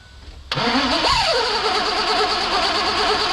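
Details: 2001 Mazda B3000 with an LS swap, sat 18 months, fuel rail pressure confirmed, no coolant in it: short crank, catches and flares up, then drops to a steady, even idle. Starts and holds, run only briefly because of the coolant leak.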